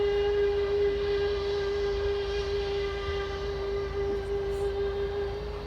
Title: British Airways taxiing to gate at BHD. Also making some screeching noises! 😳